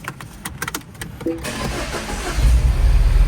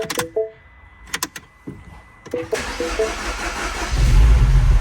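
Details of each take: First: Second-gen Mini Cooper, N18 1.6L turbo petrol, cranks and catches into a deep, lumpy, uneven idle. Misfire code on cylinder two, fouled plug smelling of fuel, and the misfire stayed after swapping plug and coil. The cause was a burnt valve. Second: Second-generation MINI Cooper N18 1.6L turbo, very first cold start after replacing a burnt valve that caused a cylinder 2 misfire: a short crank, then a steady low idle with no stumble or misfire, a normal start.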